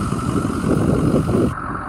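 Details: 2007 Ford F-350 dump bed work truck, engine revved: deep, steady, smooth engine note under blip, no knocks or rattles. Healthy engine revving.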